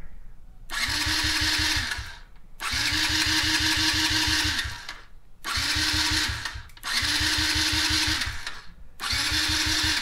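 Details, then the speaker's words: Yamaha TTR50E dirt bike cranked off a Foxpeed A10 jump starter after a gas change: starter whirs strongly in repeated two-second bursts with steady compression beats but never catches; cranks, won't start. Owner suspects a dirty carb. "I think I need to take the carb off and clean it I think that's what's wrong I already changed the gas"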